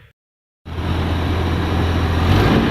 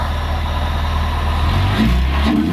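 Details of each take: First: Toyota van engine, misfire cured by fitting cleaned and tested 5M-GE injectors, still won't rev: it pulls up, then stumbles and sags with uneven popping near 3000 rpm; suspected spark or igniter, but the cause was fuel pump starvation at high revs. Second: Warmed-up Toyota van after a weak new fuel pump, which was giving almost no pressure, was found to cause poor running and replaced: smooth idle, clean pickup when revved with no hesitation or surging; normal warm rev.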